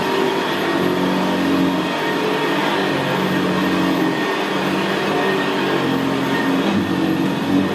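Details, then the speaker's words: 1975 Hoover Senior Ranger U4002 vintage upright vacuum in use on carpet: steady quiet motor drone with a deep gravelly growl from the brushroll, louder where the carpet is squashed down; the growl is normal for this model. "well isn't that absolutely beautiful machine to use it's just very very quiet and in very very growl very growling that's why I always said about the Ranger they always had a very very gravely brushroll on there"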